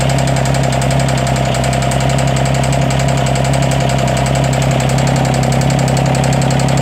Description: There's intermittent misfire and a loud clicking sound. I think there's a head gasket leak, amongst other things.